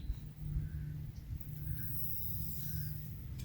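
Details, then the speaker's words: Harbor Freight manual hydraulic log splitter being bled with the ram extended under pressure and the oil fill plug cracked: a thin, steady whistle of trapped air escaping over a low rumble. "a little whistle as the air that was in there came out."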